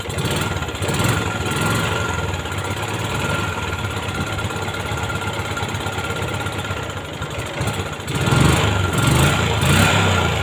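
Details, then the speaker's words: Yamaha Jupiter MX after repairing lost ignition spark: small single-cylinder idling steadily with even beat and a slight blip near the end; runs normally. "Coba kita tes kita hidupkan [Musik] nah ini udah hidup ya teman-teman"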